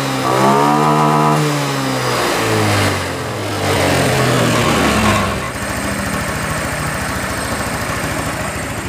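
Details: Honda Scoopy FI (around 2022, KOJ engine): revs climb and fall cleanly, then settle into a steady, even idle with no stumbling; running properly.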